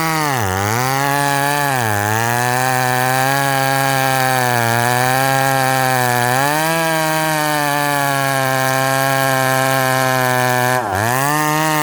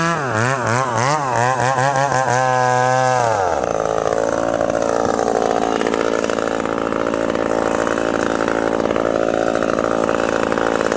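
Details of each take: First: Ported McCulloch Super Pro 70 (70cc) at high revs, dogged into wood: screaming revs sag sharply each time the bar bites, then claw back. The saw is bogging and losing pull under load; cause not confirmed. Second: Ported 70cc McCulloch Super Pro 70 chainsaw (stamped 171 or 181), freshly fueled and first start: winds up in wavering blips, then screams at a clean, steady high pitch with no misses, a strong, healthy high-rpm run.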